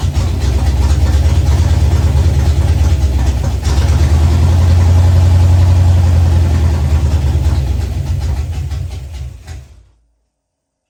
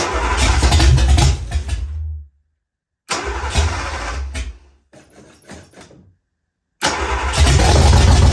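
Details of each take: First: Ford Fox-body Mustang, rebuilt 302 V8 with new cam, after adjusting ignition timing. Even, deep, regular idle rumble, swells briefly, then shuts off cleanly: normal idle. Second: Ford Fox-body Mustang, rebuilt 302 V8 with new cam, second start with a little gas in the bowls. Catches and runs rough in uneven bursts, dies twice, restarts: rough running from incorrect ignition timing; adjusting timing helped it idle.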